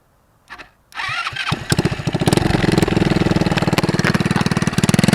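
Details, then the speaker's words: Go-kart small single before fitting homemade brake-cleaner-can muffler: catches after a couple of tries then sharp rapid barking crackle from open pipe with no muffler; far too loud. "that's pretty loud it's too loud I can't do that"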